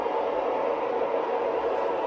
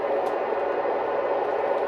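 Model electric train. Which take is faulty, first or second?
first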